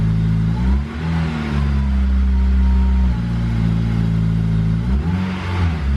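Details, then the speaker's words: Honda S2000 with modified titanium exhaust (2.5-inch branch), revved gently up from 1750 rpm fast idle, previously the worst drone area; smooth even tone, no booming hum; drone seems fixed. "all right so this fast idle satellite 1750 this was the most drone area right here on fast idle bring it up a little bit"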